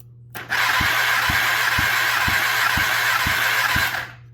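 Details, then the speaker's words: Kawasaki ZX10R basket-case engine that has sat a long time, cylinder 2 compression test while cranking: steady starter whine with evenly spaced weak thumps, only ~100 PSI vs 195 on cylinder 1. Possibly sticky valves from sitting; low compression. "Alright guys, so that thing's only showing like 100 PSI, which indicates a problem. Not necessarily a permanent problem. It could be because this motor's been sitting for quite a while now."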